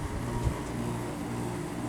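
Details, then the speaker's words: Daikin/McQuay room HVAC unit in cooling mode, compressor kicking in once room reaches 72°F, 2 degrees above set temperature: steady low hum, even drone and airflow hiss, no rattles or grinding; compressor running normally, fairly loud. "So yeah, once the compressor kicks in, it gets kind of loud."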